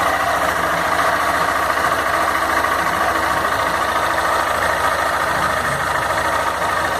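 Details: Fan 160 motorcycle, bought October 2016, with engine noise appearing after break-in: steady idle with a light, uneven mechanical clatter over the engine note. Something is noisy, but the cause is not clear.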